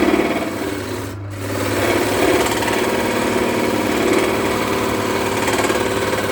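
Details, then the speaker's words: Wood lathe turning a spalted birch firewood blank into a bowl, about two-thirds in: steady drone with uneven scattered knocks as soft, punky wood tears out instead of cutting clean shavings. "So there's quite a bit to do, but you can hear it every now and again. It's like got a banging."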